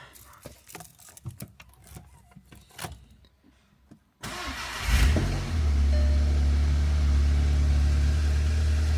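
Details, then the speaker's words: Audi S1 bought as a non-runner, started right after an oil and filter change: clean catch and smooth even idle, the earlier clutch noise gone; owner suspects old dirty oil was the cause. "Well, the noise has stopped with the clutch, so that's very good news."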